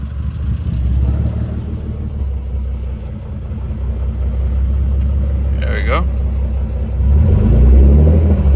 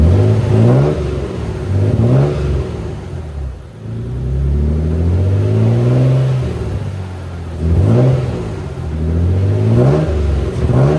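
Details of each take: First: Nissan 300ZX (Z32), warmed up about a minute after fuel filter relocation, idle control valve removed: steady idle around 850–900 rpm with low even pulse, no knocks or misses; healthy idle. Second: Dusty Nissan 300ZX (Z32) started after long sitting with another battery: good steady idle, but revs climb unevenly with slight stumble and shake on throttle blips; owner thinks it could just be from sitting so long.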